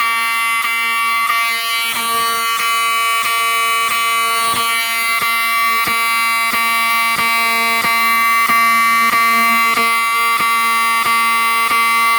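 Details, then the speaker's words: Wheelock 7002T-24 fire alarm horn in a system test set off by a Fire-Lite BG-12 pull station: loud, clean steady fast pulsing, about 220 a minute, drowning out the panel beep; no rasp, operating normally. "this thing is so loud that you can't really hear the panel beeping over it"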